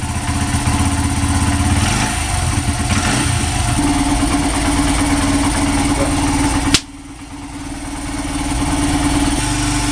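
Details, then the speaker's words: Honda CRF80F, long-sitting, after a new NGK spark plug and fresh gas, on choke in neutral: single ticks over at a quick, fairly even idle with a steady note and no knocking; runs smoothly. "Pretty smooth. The choke is on. Yeah, but that sounds pretty damn smooth. It's a neutral too."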